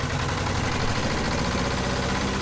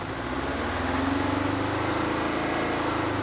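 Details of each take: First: 1970s Insley H800 excavator's Detroit two-stroke diesel, just revived after 25+ years sitting: loud, busy drone at fairly steady idle with roughness in the beat, possibly weak old injectors; owner thinks the exhaust blew a hole on first start. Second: 1970s Insley H800 excavator's Detroit diesel, freed from seizure after 25+ years sitting, started without ether: even drone slowly rising and falling in speed, firing steadily, no knock or miss. Normal diesel running.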